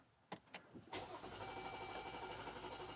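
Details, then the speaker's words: 2021 Chrysler Pacifica with P0108 MAP sensor code, restarted after cleaning the IAT and MAP sensors and throttle body: long cranking with stumbles, then an uneven, hunting idle that nearly stalls; the MAP sensor was later replaced to fix it. "It's trying. It's trying. There it goes. Now it started. Stalling a little bit. Little bit of rough idle there."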